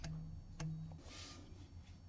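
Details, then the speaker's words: Ferrari Mondial T V8 (F119 engine, same as 348), new cambelt fitted with engine in. Plucked belt rings near 150 Hz after an earlier 170 Hz reading; timing belt tension slightly high. "Now one of the methods you can use is the frequency and you can hear the frequency there and I happen to know that's 139 hertz. This is about 170. This is about 150 I think."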